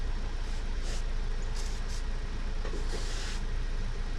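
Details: 1988 Chevy 2500, 6.2 diesel with Banks turbo kit, over 400,000 miles, long parked, on jumper cables and starting fluid: low, heavy cranking at about three beats a second that never catches. Crank no start.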